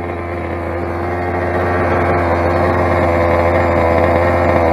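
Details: Rovan 45cc big-bore Chinese two-stroke, first run with modified exhaust header and stock carb: thin steady buzz climbing slightly, never a rich burble; sounds lean, owner says carb settings were badly off; exhaust also restrictive.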